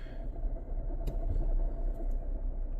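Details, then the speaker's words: Front-wheel-drive vehicle rolling slowly with rough running: deep churning rumble at wheel speed from a bearing breaking up inside the transmission, suspected pinion bearing. "Oh, there's a bearing coming apart in this transmission. Ooh, that's bad. Okay, it's done for. There is something coming apart in this transmission."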